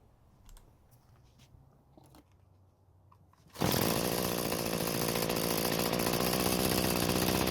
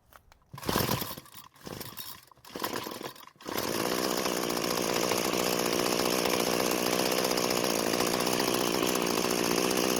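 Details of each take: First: Free curbside string trimmer that wouldn't start, running after reconnecting the disconnected throttle cable, started without choke: steady, even buzzing run with no stumbles or misfires; normal running. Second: Curbside free two-stroke string trimmer after fuel flow fixed: steady, unchanging idle that never picks up on throttle; throttle cable found disconnected.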